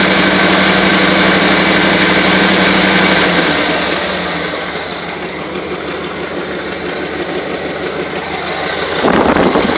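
Steady idle with a sharp, regular puffing tick near four per second that rises with revs, pointing to a possible exhaust leak.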